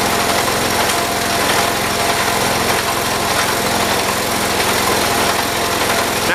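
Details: 1978 John Deere 208 tractor with a single-cylinder engine, after a head gasket replacement and a carburetor adjustment: a steady, even run at raised throttle with no misses or surging; it is now running properly.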